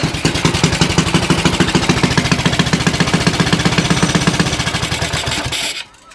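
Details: Axis M200 196cc mini bike, bought non-running, kill switch left off and grounded to test: rapid, even single-cylinder popping at a steady fast idle, then it stops abruptly as the kill circuit works; normal running.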